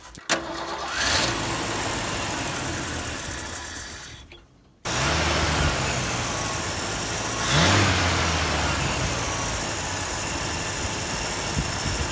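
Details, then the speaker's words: Ford F-100: it ran perfectly when a part was first fitted and primed, then began idling rough. It catches, stalls and restarts, then the idle swells and sags unevenly every few seconds, with slow throttle response and a gas smell. Cause not confirmed. "it just like started running really rough uh kept surging and you know all kinds of stuff"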